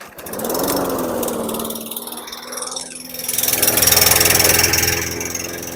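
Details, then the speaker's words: 2018 Murray walk-behind mower, Briggs & Stratton 625EXI engine, oil slightly overfilled, blade adapter damaged by repeated strikes but flywheel key intact: starts but runs at a slow, uneven chug with no power; old fuel or carburetor suspected, carb clean planned. "so this thing starts it just has no power so I'll I'll start it for you you can hear it run"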